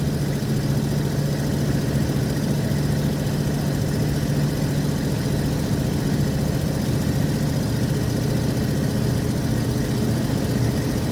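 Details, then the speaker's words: RV/motorhome driving from dash view, cruising and accelerating up to about 55 mph after mechanic repairs: steady deep engine drone with a rough raspy low rumble from an exhaust leak, still present after the repairs. "You know, when you have music and stuff, you tend to be a little bit more relaxed than when you're driving around and you hear the exhaust leaking, which is what we hear right now."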